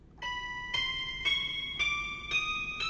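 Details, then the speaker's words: Secondhand Yamaha SY22 synthesizer in switch test mode (test 3): six clean rising notes, no hiss or buzz. Outside test mode it makes a harsh pulsating foghorn-like noise; owner suspects corrupt presets, and a factory reset did not appear to work. "you can actually hear sound. And in this mode, you can just play the keyboard like normal. And the sound is fine, and the modulation wheel works, the pitch bend works."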